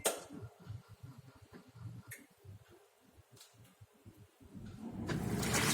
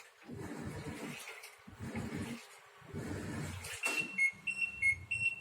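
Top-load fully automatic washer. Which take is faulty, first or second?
second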